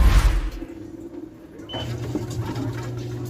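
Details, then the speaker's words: Electrolux LTC10 10 kg top-load washer after drain pump replacement: spin cycle with only a low steady hum, no grinding or rattling; noise gone, problem solved. "Aí, gente, como vocês podem ver, ó, barulho zero, problema resolvido."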